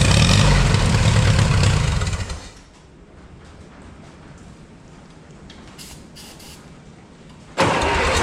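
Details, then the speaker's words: 1955 Oliver OC3 Cletrac crawler, sat 20+ years: two seconds of steady cranking about four beats a second, no firing; cranks but won't start, stuck carb float needle suspected. "well it actually sounds pretty good so I guess I'll pull the bowl off now and try and get that needle freed up maybe it'll actually sit here and run"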